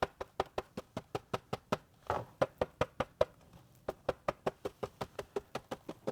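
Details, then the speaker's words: Tesla Model Y driver's B-pillar trim after fabric-taping the seat belt adjuster to cure a rattle: steady knuckle taps at two to three per second give dull short thuds with no buzz or ring; trim damped, no rattle. "Sure sounds way more damp than now."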